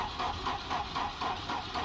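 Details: Volvo 240 with a self-inflicted fuel system fault, temporary wiring and a battery thought to be dead: steady starter cranking at about four pulses a second, never fires. The cold-start injector was later found shattered; cause not confirmed for this clip.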